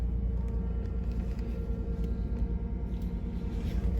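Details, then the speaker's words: Ford F150 pickup just started after starter solenoid clicking troubles and taping a bare positive wire; steady deep exhaust rumble pulsing about three times a second, no misses or knocks: normal idle. "all right that's pretty dang exciting i don't know what happened but i know she's fired up now"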